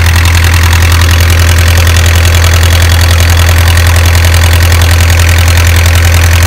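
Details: Isuzu 4BA1 85 hp diesel coupled directly to a 5-inch single-impeller pump irrigating a 20-rai durian orchard, pushing water about 800 m uphill; deep, steady thrum with strong regular low beat, holding speed evenly; normal healthy running under load.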